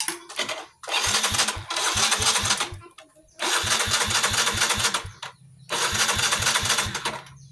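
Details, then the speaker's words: Yamaha Mio J fuel-injected scooter with lost compression, ignition switch jumpered so fuel pump and horn work: three bursts of quick, even starter cranking that never catches; cranks but won't start, traced to a leaking valve. "Tidak dapat hidup guys. Berarti masalahnya ada yang lain ini, berarti motornya ini banyak masalah."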